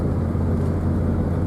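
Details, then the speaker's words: Truck driving on the road after repair, now back together with a bearing replaced; the weird noise heard since ownership, thought to be a failing bearing, is gone. Steady low road rumble, no whine, growl or rhythmic hum; no shock absorbers fitted yet. "I don't hear that weird noise anymore. Ever since I've owned the truck, there was kind of a noise that, you know, it's a truck that was new to me, I figured was kind of normal. I think that bearing's been going out the whole time. But, sounds a lot better, actually."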